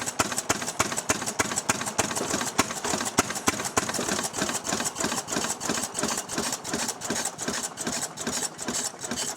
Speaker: you'll hear this little flapper clacking away when the engine's running because it's on a spring